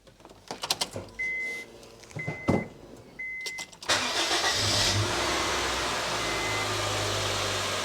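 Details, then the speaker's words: 2010 Honda Jazz 1.2 petrol VTEC, started after a spark plug change: door and key clicks with warning chimes, then the engine catches and settles into an even, steady idle. A normal, smooth run on all four cylinders with no misfire. "That all sounds good to me. It's running smoothly on 4 cylinders."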